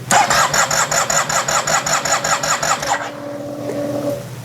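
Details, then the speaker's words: Yamaha TMAX scooter during restoration, ignition just reinstalled and gas added; possible air leak or fuel not reaching it: starter churns in steady pulses for three seconds without catching. Crank, no start. "and I'm looking at the it does not want to start"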